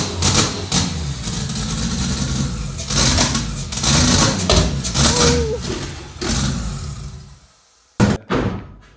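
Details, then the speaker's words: 2JZ-swapped Toyota Celica, first start after fixing ignition wiring at the ECU: uneven, lumpy idle with irregular surges and dips before dying away; runs on its own but idles roughly. "fuel starting it's a an idol but it runs holy [ __ ]"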